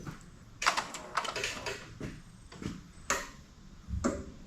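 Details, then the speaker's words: 41-year-old Toyota Landcruiser HJ47 diesel, key turned in a quiet cab: a few sharp clicks, the second showing the glow plug relay working while the glow plug circuit is being tested. "Right, so that second click there, that sounds like the glow relay is actually working, which is awesome."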